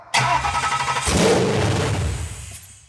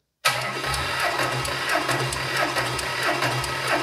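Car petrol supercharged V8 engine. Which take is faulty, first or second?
first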